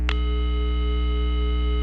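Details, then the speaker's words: Intelbras Conecta PBX after repair, tested at the matrix with the capsule: clean continuous mid-pitched tone with only a low hum and none of the earlier hiss; normal dial tone. "Não tem mais aquele chiado terrível."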